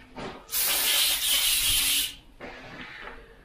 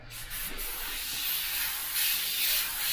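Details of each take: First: Airbrush spraying thick unthinned paint at full 25 psi: loud rough hiss about a second and a half with gritty, grainy texture; paint too thick, needs thinning. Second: Soft, even airbrush hiss with gentle swells and no spitting or gritty sound after thinning the paint with water and back-mixing; smooth spray with correct paint consistency.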